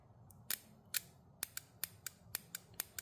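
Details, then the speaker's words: Mitsubishi Eclipse 2G GSX fuel pump relay on the bench clicking sharply as 12 volts is applied to terminals 85 and 86, closing 30 to 87 during fuel pump rewiring; relay works normally. "and when I apply 12 volts U like over here and you're going to hear how relay is clicking you can hear the relay"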